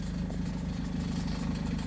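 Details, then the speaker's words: Honda CR-V before repair: low rhythmic puffing idle with ragged chuff on each firing pulse; exhaust leak after the cat where the cat-to-muffler pipe flange separated, three bolts rotted; belt tensioner also squeaking. "Think it has a little exhaust noise. See if I can rev it up for you."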